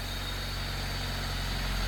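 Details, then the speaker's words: Honda Civic EG3 with Mini-me VTEC head swap, P28 ECU on a stock map, first start after sitting, once a cable and battery were swapped from another car: smooth steady low hum, unwavering idle, no knocks or misfires; normal idle. "Now it starts. Man! Finally! The engine started. Holy! It sounds good."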